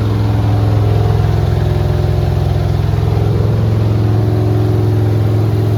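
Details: Refreshed 350 V8 pulled from a Pure Stock race car to fix issues: deep, steady burble with an even firing beat and no knocks or ticks; runs clean.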